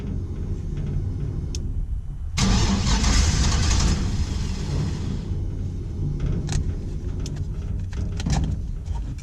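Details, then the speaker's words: 1949 International KB2 with GM LS-type engine, E38 ECU, very old fuel, no O2 sensors: slow even cranking without catching, then fires with a roar into rough uneven running; owner checking spark. "something's wrong i'm gonna check spark all right again"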